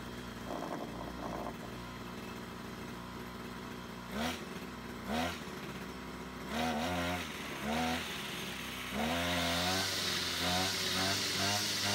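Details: Brush cutter two-stroke after repair of a fuel leak from a split hose (it had stalled while mowing): steady idle, picks up cleanly on each throttle blip and returns smoothly; running normally.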